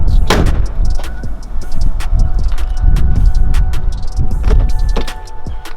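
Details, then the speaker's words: BMW turbo petrol engine idling cold after a charge pipe boost leak repair with a coupler: low, fairly even rumble with scattered clicks and knocks, idling much better than before the repair. "all right she's idling a little better now"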